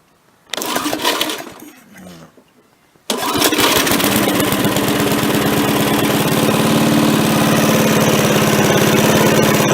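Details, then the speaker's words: MTD push mower after its carburetor was cleaned, which had trouble throttling up before: after some handling it catches at about three seconds and settles into a steady, even run with no misses or surging; it runs much better. "I'm gonna give it a run here and let you listen to it now I think it runs way better"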